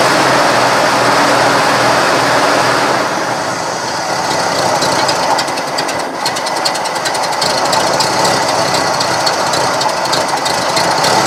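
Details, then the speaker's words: 1970 Cadillac Sedan DeVille, junkyard car, just fitted new cap, plugs and wires: ragged idle with irregular stumble about four beats a second under a hiss; owner suspects leaning out from dirt in carburetor jet; rough running. "does not sound better I don't think that's better at all sounds like it leaning out so I'm thinking I'm gonna have to get into the carburetors"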